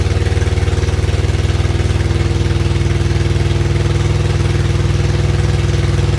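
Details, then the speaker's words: Freshly rebuilt supercharged Acura Integra engine, first start after reinstall, open header with no exhaust fitted: loud raw idle with even pulses about four a second, no knocking; healthy. "it's running I don't hear any knocking I don't hear any knocking it's loud but I didn't hear any knocking from the engine"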